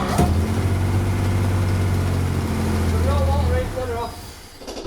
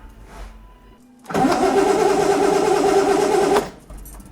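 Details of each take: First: Engine of a revived project car, first runs after fitting new parts and setting ignition points, warm and possibly briefly on five cylinders with a plug off: smooth, steady low hum with even beat, then switched off. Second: Six-cylinder project car, first start attempts after parts replacement: starter spins steadily about two seconds, roughly three turns a second, never catches; no spark at plugs. Crank no start, no spark.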